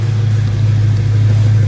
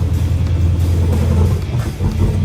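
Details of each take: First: Dodge Hellcat that had a rough idle without codes, after teardown and repair and jump-started: a deep, steady, even engine note with no stumble, miss or shaking. The engine sounds healthy. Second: Dodge Hellcat with rough idle and no codes, jump-started: loud uneven popping and stumbling with ragged revs, a misfiring cylinder later traced to a closed spark plug gap.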